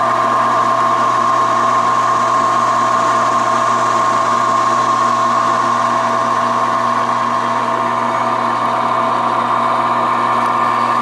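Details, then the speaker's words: Reliant 10-inch benchtop mini lathe, belt-driven with four speeds from 980 to 3100 rpm: steady, even motor hum with a constant tone and no growl, rumble or clicking; bearings and motor sound good. "and as you can hear it's not uh it's in good shape it's not noisy bearings and the motor seem pretty sound"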